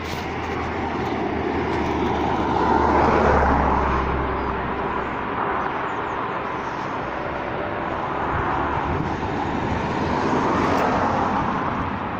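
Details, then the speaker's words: Grangemouth Ineos plant stack flaring with steam injected into the flame, heard from outside the car: continuous deep rushing roar swelling and fading slowly like distant jet noise; steam-assisted flare stack roar. "They're stack flaring at the minute, and when they do that they have to inject steam into the flame, which once I open the door you'll hear the sound that makes."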